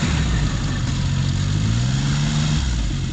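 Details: 2004 Arctic Cat Bearcat WT snowmobile after replacing the noisy fuel pump with a second-hand T660 Touring pump (it had stalled and hesitated around 10 kph; bad fuel the root cause): revs smoothly and evenly with no hesitation or flat spot, then settles.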